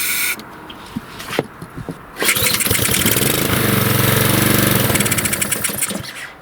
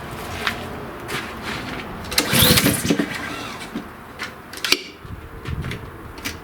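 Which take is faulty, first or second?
first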